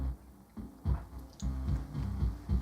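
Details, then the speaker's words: Aaron Sub-240 powered subwoofer, DC offset fine, charred resistor on board: 70 Hz test tone and music bass come through rough and buzzy, not clean; amplifier output distorted. "well I can hear the tone but it is it is distorted so let me kill that"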